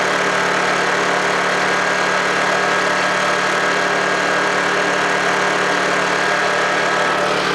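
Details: Honda generator unused for about three months, after a cold start: steady, even drone with no knocks, surging or misses, settling and running normally.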